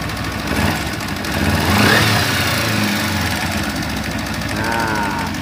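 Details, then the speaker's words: Kawasaki Ninja 250 FI at cold morning start idles with a loose, uneven metallic rattle from a slack cam chain; cause is a failing cam chain tensioner. "Jadi untuk permasalahan dari suara yang seperti ini guys itu ada di bagian Tensioner keteng ataupun biasa disebut tonjokan ketengnya ya"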